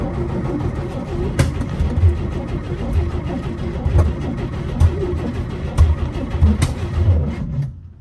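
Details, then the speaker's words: 1955 Chevy being revived after sitting, jump box and starting fluid used, caught once before; steady cranking with uneven compression pulses but no start; owner suspects ignition timing is off. "sounds like the timing might be off"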